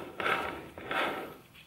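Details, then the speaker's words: VW Touran 1.2 (2011) manual gearbox removed from car, shaft turned slowly by hand giving gritty rasping sweeps, already too loud; louder when driving; worn main gearbox bearing suspected. "warum genau richtig so wenn ihr das hört in meinen augen ist es jetzt schon zu laut wenn ich drehe jetzt nur mit der hand also im wenn er mit dem fahrzeug fährt dann ist das natürlich viel viel schneller dementsprechend auch viel lauter"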